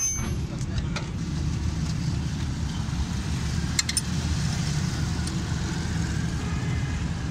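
Steady low engine idle with no squeal or chirp from the belt; it runs quietly and evenly.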